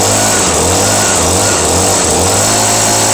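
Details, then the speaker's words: Brand-new Echo PV 2620 handheld two-stroke blower, a gift, quick start after recent use: steady high-pitched buzz with no surging or misses, running properly. "it's the new echo pv 2620 handout blower and i love it so i'm just going to give it a quick start"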